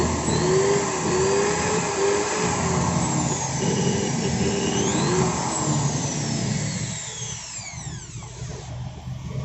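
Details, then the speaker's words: Maktec 10mm corded drill that overheated and growled at low rpm, after shimming the loose stator with paper: spins at full speed with a steady motor whine, winding down smoothly when released, seemingly normal now. "Nah, sepertinya ini udah normal, Guys. Soalnya beda."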